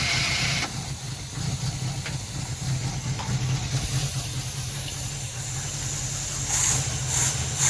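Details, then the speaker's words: 1968 Impala with a 300 hp 327 V8, off the road for almost 40 years, fed fuel from a bottle with only the points cleaned: a weak, uneven crank, then a steady low rumble settling into idle with some hiss. "all I did was clean the points off and left everything else alone and it's just sitting here idling"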